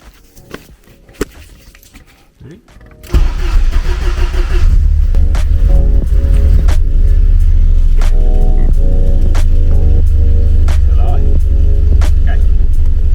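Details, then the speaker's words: Classic Porsche 924 non-start, rusty relay terminals, relay bridged by hand: quiet three seconds then fires and settles into steady, even low rumble with no misfire; engine fine, fault is relay not switching. "okay so as you can hear he running so there's nothing horrendously wrong with it"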